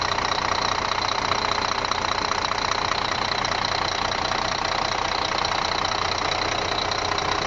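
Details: Scania D12 truck diesel at idle on its first start after an engine rebuild: steady even clatter, about two and a half knocks a second, no misses or odd noises. Healthy.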